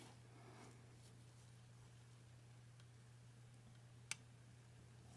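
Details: VW Beetle 1.9L timing belt and water pump job: single sharp metallic torque wrench click in a quiet room as a water pump bolt reaches 15 Nm (133 in-lb), releasing at set torque.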